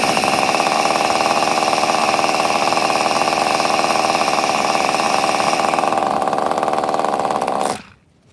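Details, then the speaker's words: 2002 Tamiya Terra Crusher 1/8 nitro monster truck, fuel not yet fully primed: high, buzzy two-stroke note runs briefly then fades and dies within a second; idle speed set too low. "also my idol is super low uh we're gonna keep doing it it's eventually going to prime"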